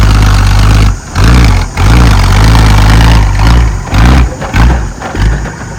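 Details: Ex-Australian Army International ACCO 6x6 truck with a Perkins 6354 six-cylinder diesel, door-hinge throttle, after bleeding the fuel lines: deep loud rumble rising and falling evenly with each throttle blip, no knocks or misses; normal revving.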